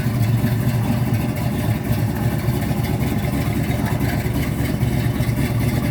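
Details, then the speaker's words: 1972 Ford Mustang Mach 1 with rebuilt 351 Cleveland Cobra Jet V8, Wolverine Blue Racer cam (510 intake/536 exhaust lift, 290 duration), after rebuild: deep, lumpy, evenly firing idle, no knocks or misses, healthy. "So it's got the Wolverine Blue Racer cam in it, and here are the cam specs."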